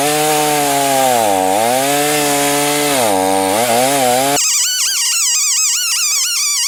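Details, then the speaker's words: Titan TTL759CHN petrol chainsaw, used to cut five to six tons of timber, cutting: howls at high revs but pitch sags and recovers, surges unevenly; bogs at high revs, progressively worse, carburettor setting blamed, also hard to start hot. "i'm going to talk about the carburetor later because this was pretty much the bunch of saws that would bog down on high revs and in the video you may see this it's progressively got worse"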